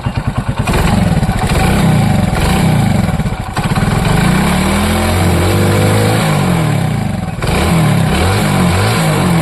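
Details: Hero Splendor motorcycle after timing chain and cam rocker fix: small engine revs up and settles back evenly, with the earlier ticking gone and sound smooth.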